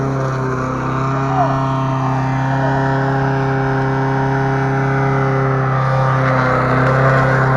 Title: косилка после ремонта